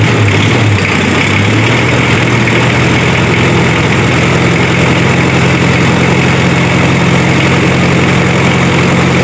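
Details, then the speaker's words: Daihatsu Taft GT diesel after rebuild with new piston rings and all 8 valves, warmed up: steady, even low idle rumble, earlier rough running and smoke gone, exhaust no longer smoking. "Berhasil kawan, alhamdulillah normal kawan."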